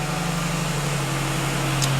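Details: 1999 Ford Taurus idling right after in-tank fuel pump replacement: smooth, steady idle with an even low drone and fan whir, no stumbling or surging; running fine, checked for leaks.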